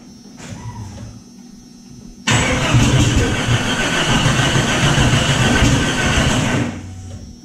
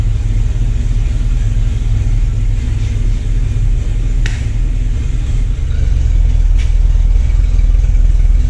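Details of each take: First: Jeep Cherokee after re-setting the distributor, believed to have been off one tooth: cranking catches into a rough, uneven run with scattered pops, then dies. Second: Jeep Cherokee after distributor and spark plug work, computer reset several times, hood down: deep fairly even rumble with slight lope, smoothing as it warms; normal idle.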